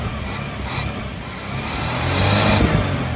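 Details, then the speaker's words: 1981 Dodge Challenger after years off the road, choke held closed manually: rough, uneven revving that stumbles and sags and won't hold idle; hesitation and stalling, suspected bad external accelerator pump or clogged passageways. "definitely no accelerator pump and it won't [Music] idle it sounds like a total turd"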